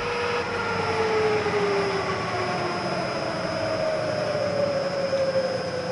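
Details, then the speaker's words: Bridgeport Series 1 2HP variable-speed J-head after tear-down and repair of its long-worsening noise: faint, smooth hum whose pitch drifts slowly with speed, with no knocking or grinding. Barely audible at 600 rpm. Normal quiet running. "you can't even hear this thing running at 600 where before it was good"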